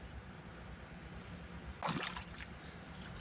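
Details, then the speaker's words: 2020 Polaris RZR Highlifter 1000 XP, cleaned radiator refilled with Engine Ice coolant before bleeding at 8 mm bleeder screw; soft trickle then short burst of gurgling bubbles as trapped air works out during fill. "take your time with it because you're going to get all kinds of bubbles as you can hear"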